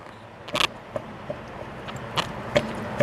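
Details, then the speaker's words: 2006 Chevy HHR, customer reports popping when turning in driveway and loose feel on freeway: sharp metallic clunks as front wheel is rocked; both strut-to-knuckle bolts were only snugged, never tightened, so the joint moves; top bolt undersized; new ball joint just fitted. "so right there it's one of the bolts that holds it and right up there's the other bolt so both those bolts are loose enough so that it clunks around"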